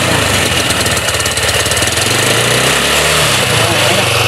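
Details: Rusi Flair carbureted scooter after repeated cranking until it draws fuel despite earlier fuel starvation: the small single runs loud and fairly steady with brief rises in revs, no knocks or misfires; normal running.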